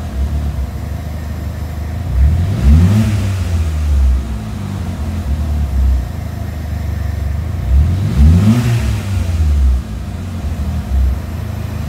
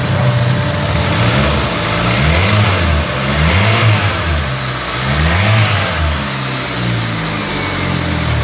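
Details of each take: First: Peugeot 206 petrol engine idling then stuttering and hesitating through three quick revs; stumbling when revved, suspected engine wiring harness fault, with throttle, TPS, fuel pressure or MAP sensor also named as possible causes; unconfirmed. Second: Peugeot 206 after engine wiring harness repair for stumbling under throttle: engine climbs and drops through repeated blips cleanly with no stumble or hesitation; sounds healthy.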